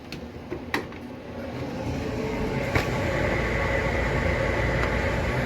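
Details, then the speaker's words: Home dryer after DIY repair (all four sensors and element replaced), tested before final vent hose fitting: even motor hum and airflow rush building slightly with light tumbling thumps; heat and airflow consistent, running normally. "okay let it build up let it build up I'm gonna heat inside then I got consistent flow with everything installed"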